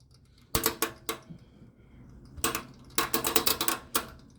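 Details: HVAC condensing unit on a no-cooling call: bursts of rapid, sharp metallic clicking with quiet gaps as the compressor contactor chatters in and out; the destroyed indoor blower vibrates excessively, causing intermittent low control voltage.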